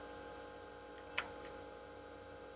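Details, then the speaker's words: Atari Megafile 30 hard disk on Atari 1040 ST, after DMA and read tests failed, park heads command from diagnostics: faint steady spindle hum, then one sharp click as the heads swing to park; mechanism responds. "Yeah, I can hear it respond. So it it actually responds to to commands. I hear it moves the heads."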